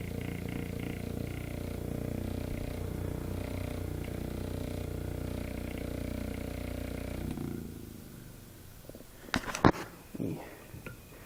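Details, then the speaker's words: c.1897 Knapp Type D electric motor after minor repairs and cleaning, running with a makeshift brush: even low drone with slow wavering throb, then stops; rocking because part of a foot is missing, weighting it likely cures it. "Kind of rocking because it's missing part of its original foot. And in fact, if I were to weight this slightly, I would imagine here is my interior growler. I'd imagine it wouldn't make that noise."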